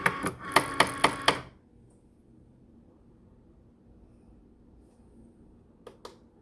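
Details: Cricut Maker carriage gives five sharp evenly spaced loud clicks in about a second, a pause, then two more; not cutting or writing properly, calibration fails as the sensor can't detect lines, carrier way off center, stopped cutting at 63%.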